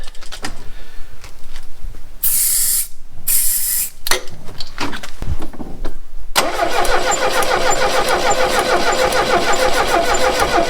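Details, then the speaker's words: 1969 Renault 16 petrol, not run in years, external fuel supply, second try with starting spray and the original HT lead refitted: steady rhythmic cranking, never catches; owner thinks it fires on maybe one cylinder; still won't start. "It seems to be firing on maybe one cylinder. Wants to go. Well, that didn't work, did it?"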